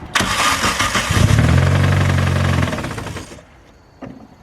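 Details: Toyota 4E-FTE engine making about 450 hp cranks and runs with heavy uneven low rumble; crankshaft snapped in half, breaking main caps and destroying engine.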